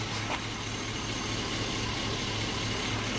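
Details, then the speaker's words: 5.3L LS-swapped S10 with 300M/Intrepid fans, hot idle: smooth, steady V8 burble with an even exhaust note, no ticks, knocks or exhaust leaks; engine and exhaust sound good. "Engine sounds good. Exhaust sounds good."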